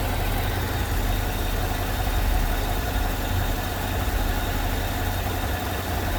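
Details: Idle after the noisy vacuum pump, which sounded like bad lifters, was removed, holes plugged and brake booster teed into the intake; smooth even low idle, no ticking or clatter on top; normal idle after repair.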